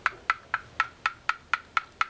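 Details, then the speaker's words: Penn conventional fishing reel spool, side plate bearing cap tightened then backed off about half a turn: light crisp tick about four times a second, a slight knock of free play, spinning freely through several rotations; correctly adjusted. "just a slight knock, and when you turn it with your finger it will spin very freely. And it completes several rotations."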